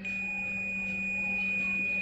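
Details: Samsung UA60F6300 60-inch smart TV power supply that trips the meter when plugged in: steady unbroken high meter beep the whole time probes are on, both probe directions; one of two reverse-mounted diodes is shorted.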